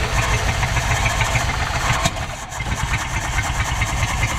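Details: 1974 Dodge W200 with 318 V8, carburetor float/fuel delivery issues being sorted: uneven, lumpy firing as the engine catches, stumbles briefly and settles toward a rough idle; hard start, cause unconfirmed.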